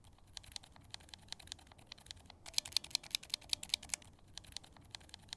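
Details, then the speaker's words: Glorious Lynx linear switch lightly lubed with Krytox 205g0, typed without keycaps: quick crisp high clacks, no scratchy grit, noticeably smoother than the dry switch. "and i can already hear a sound difference between the two and it is quite a bit smoother"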